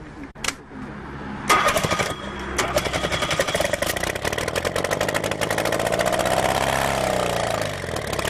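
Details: Homemade experimental Bourke engine, throttle being adjusted: cranks, catches and settles into a fast, somewhat uneven popping run without spitting, sputtering or stalling; running considerably better than last time.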